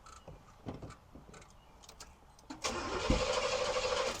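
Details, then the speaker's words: 1971 Oldsmobile Cutlass Supreme SX with 455 engine, sat unrun for years, started with a jump pack: brief starter whirr, then engine catches at once and settles into a steady rumble; starts readily. "actually uh rev a little bit nothing like having a jump pack see she fires right"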